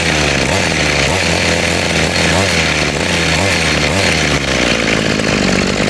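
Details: Model 411 brush cutter after repair of carburetor flooding from a dirty float that caused poor acceleration and cutting out, carburetor cleaned and reassembled; steady two-stroke buzz holding even revs without stumbling or dying, running normally.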